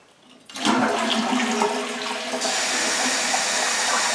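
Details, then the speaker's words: Toilet flush, then a loud, harsh, high steady hiss of refilling water, started in the last couple of days; noise comes from the supply valve, caused by air trapped in the line. "you hear that louder right after the flush? It started becoming louder. Well, that loud water sound only started happening in the last couple of days."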